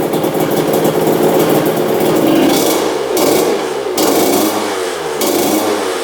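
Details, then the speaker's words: 2000 Honda CR125 two-stroke after fixing disconnected power valves and adding fresh 40:1 fuel: crisp revving rising and falling cleanly with throttle, idle lowered from too high; runs properly, slight top-end bog before warm-up. "all right seems like it's running pretty good it's idling really high let's get that idle down all right there we go idling nice and low"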